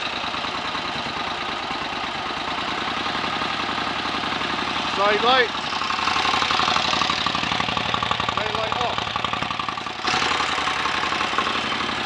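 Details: 1930 Royal Enfield Model K 1000cc V-twin motorcycle, kickstarted and left on a fast idle: even, loping beat about four pulses a second, no knocks or misses; normal idle.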